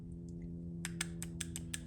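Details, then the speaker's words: 2007 Audi A8L D3 with P0024 retard setpoint not reached and misfire codes: after a small piece was pulled out of the stuck VVT solenoid, it gives crisp, solid clicks about seven a second and now moves about 1/16 inch. "getting a nice solid click and this thing barely moves it moves like maybe a a 16th of an inch but it's moving now"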